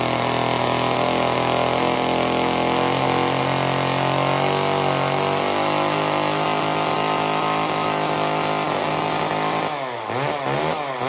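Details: Old Homelite chainsaw, owner guesses 1960s or 70s, cutting wood after reassembly: high steady two-stroke buzz held under load, revs dipping and recovering at the end; runs and cuts fine, owner says it could be tuned better.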